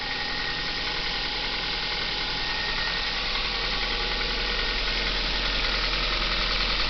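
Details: Kia Ceed, cold engine just started, at fast idle. Even light knocking about three times a second over the engine hum. As the revs drop, the knock also disappears: engine knock at cold idle.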